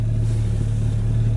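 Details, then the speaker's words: VW Passat B3 with B4 instrument cluster wired in, just started: tachometer shows steady 1000 rpm idle, smooth low hum with no dips, hunting or misses; low coolant warning light went out. "Завели машину. У нас, значит, тахометр показывает 1000 оборотов. Обороты мы видим устойчивые."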